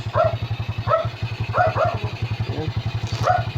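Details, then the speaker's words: SYM carbureted scooter that started then died, after draining watery fuel and fitting a new CDI (CDI and ignition coil found faulty): steady, quick putter with even pulses and a dog barking nearby; idles evenly. "Try natin paandarin pangander na siya. Ayan kita niyo umandar na. So umandar na siya guys."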